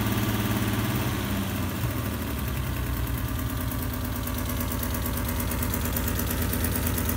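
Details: Alfa Romeo GTV6 engine shaking at idle: heavy, lumpy, uneven low throb with no steady beat, running rough; cause not identified.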